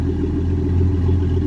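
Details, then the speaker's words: 1981 Ford Mustang with a carbureted 200 inline-six idling after a hard cold start: a deep, even rumble with a steady beat and no misses, knocks or ticks; normal idle. "But as you can hear, she just sounds the business. And honestly, I love it."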